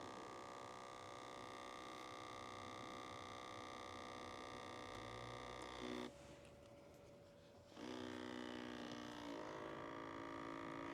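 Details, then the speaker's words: Truck HVAC actuator in the dash, newly fitted after the old one came out misaligned, key on with heat selected: steady electric whir stops briefly then restarts; owner suspects it is still calibrating through its range, or possibly faulty. "I think that thing is. I think it's still trying to calibrate itself. It's gonna go through the range of motion a couple of times, and then once it finds that sweet spot, hey, maybe she's not."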